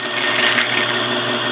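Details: South Bend toolpost grinder, end cap removed or backed out so the cotter pin no longer scratches inside it: smooth even high-pitched spin, no scratching or rattle; running quietly and healthy.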